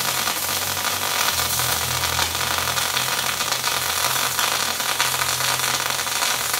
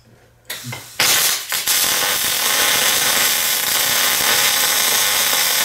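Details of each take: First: MIG spray transfer with wire feed dropped to 345: a smooth, even hissing arc at constant level with no popping or spatter, a clean stable spray transfer weld. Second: MIG welder set to 240 in/min wire feed and 18.8 volts: after the arc strikes, a steady, fast, sizzling crackle holds evenly throughout, the bacon-frying sound of short-circuit transfer rather than spray transfer.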